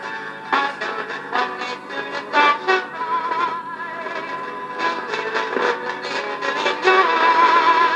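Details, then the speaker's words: 1962 Argyll Minor reel-to-reel tape player, first power-up, heads uncleaned: playback rough and uneven with wavering, smeared tone and dropouts; distorted playback, suspected mixture of problems, pots need restoring and heads cleaning. "Uh, it's not brilliant. I think we have a mixture of problems here. The pots need restoring."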